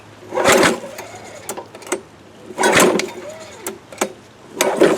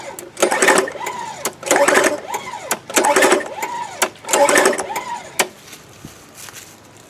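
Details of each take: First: Free 1998-era Craftsman 22-inch mulching mower, 6.25 hp: repeated pull-cord yanks spin the engine briefly but it never fires after a shot of fuel; owner suspects no spark or flooding, intake found dirty; cause unconfirmed. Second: Free 1998-era Craftsman 22-inch mulching mower, 6.25 hp, that sat outside without a gas cap: with the plug pulled, four even pull-over bursts about 1.5 s apart, no binding; the suspected water in the cylinder cleared and it cranks smoothly.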